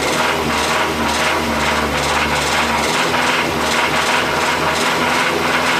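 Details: 2005 Mazda 6 2.3 four-cylinder, 210,000, oil full and changed every 5k, noise growing louder over 3.5–4k, unchanged pulling each spark plug: steady sharp metallic knocking while running; rod knock, car scrapped.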